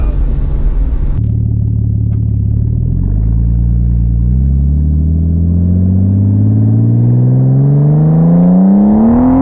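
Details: 1989 Nissan Skyline R32 GTS-t on a test drive after fitting new cheap coil packs, exhaust audible: the engine note climbs cleanly and steadily through the revs with no stumble or popping; smooth acceleration under boost.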